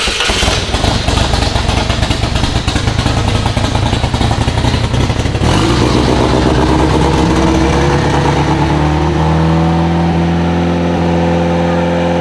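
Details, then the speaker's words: Project car started. Previously over-enriched; after a rough catch the engine settles into a steady, even run with a clean, constant note, sounding smooth and healthy; normal running. "yeah it sounds good yay"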